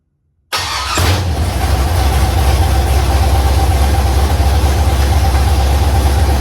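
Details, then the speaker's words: Carbureted LS V8 swapped into a Fairmont, first fire-up on float-bowl fuel with about 40 psi oil pressure, open 1-7/8 in headers into 3 in collectors: starter whirs, catches, settles into loud lopey steady idle with good cam sound; normal start and idle. "But, as far as a first fire up, I couldn't be happier. I'm thrilled. The It It sounds really good. It's It has good cam shaft sound."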